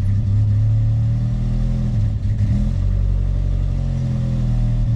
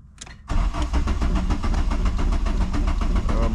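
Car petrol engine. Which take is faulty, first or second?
second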